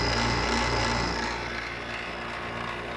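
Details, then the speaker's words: Used Maytag 5200 BTU window air conditioner running: a loud, even rattle at three or four knocks a second from the loose rear radiator coil; cause suspected, not confirmed. "the rear radiator is rattling quite a bit."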